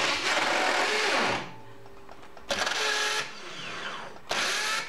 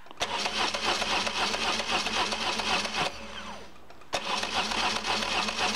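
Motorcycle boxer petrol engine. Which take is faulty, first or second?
first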